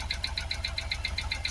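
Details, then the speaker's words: Supercharged Jaguar XKR V8 first running after twin fuel pump replacement for a no-start: rough, uneven idle with quick regular ticking over a shaky rumble and supercharger noise, running on seven or maybe six of eight cylinders; misfire. "seven cylinders maybe six but we're not all not on the full eight but we're running we are running"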